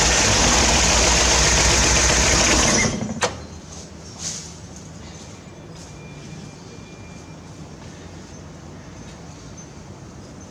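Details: 1968 Corvair being revived after sitting, gas poured down the carbs to prime: the starter grinds about three seconds, the engine barks once, then dies to quiet. It catches on priming fuel but won't keep running; owner is trying to get it to pull fuel up.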